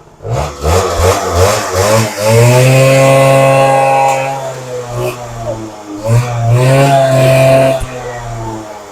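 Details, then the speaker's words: Suzuki LT80 two-stroke quad, warmed up, a bit smoky from fuel in exhaust: picks up cleanly through two blips, revs climbing and settling smoothly with crisp, even exhaust; runs fine. "just a bit Smokey from the two-stroke and all the fuel that's in the exhaust but it does run it runs lovely Lely yeah perfect"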